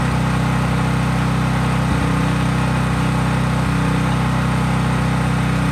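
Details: Craftsman 5000-watt generator outdoors after a cold start, with no load (only an LED bulb plugged in): a smooth, constant hum at governed speed, no surging, knocking or rattles; normal clean no-load running.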